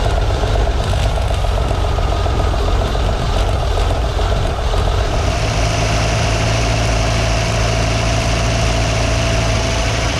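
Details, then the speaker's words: 1958 Ford F100 panel truck engine after cleaning plugs and replacing ignition points, with choke being adjusted: catches and settles into a steady idle firing on every cylinder, idle still slightly rough, owner suspects old fuel still in the system. "just like that it's running on every single cylinder the idle's a little rough still"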